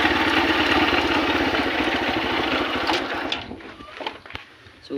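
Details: Honda CB125 converted to a 4-pin CDI after the original ignition was faulty and was wired direct. The single-cylinder engine runs at a quick, fairly even beat for a few seconds before shutdown, sounding like it runs properly.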